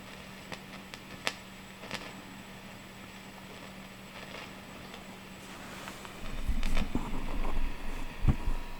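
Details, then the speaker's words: Used Marshall DSL40CR tube amp fitted with bad output tubes: irregular low pops, sometimes louder, and clicks over a steady hum; the fault is narrowed down to the output tube. "So sometimes it makes a louder pop, but there it is. Let me play guitar through it real quick. But it's making a kind of low popping sound."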